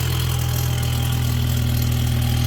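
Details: 2022 Mercedes-AMG E53, M256 3.0L inline-six, two months old, cold start idle: a fast, even buzzing rattle like a small lawnmower from the turbo side over the engine note; owner is sure it is the wastegate and its actuator rod.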